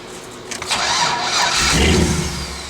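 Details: Engine with a locked ECU, reference start: brief starter whirr, catches cleanly and settles into steady even idle; healthy start.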